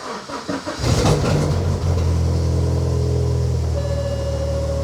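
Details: Healthy cold start of a 2004–2006 BMW 116i (E87, N45B16 1.6L) race car, clutch depressed: brief starter whirr, catches within a second and settles into a steady, even idle with no stumbling.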